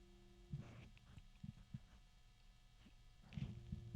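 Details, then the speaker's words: GamePower Skadi V2 360mm AIO pump, held in the quieter orientation; very faint steady hum and light handling knocks: pump running quietly and normally. "Now, if I put my ear right by it, sure, I can hear it. There's a bit of an electronic sound to it. A little bit of a clattering."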